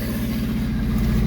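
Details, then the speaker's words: 1974 Honda Civic, 1.5 L engine, running on choke on an early start of the project car: an even, steady idle with a regular low pulse, no knocks or misses, good compression; sounds healthy. "the engine sounds healthy enough guys i i feel confident that we may have struck gold with this"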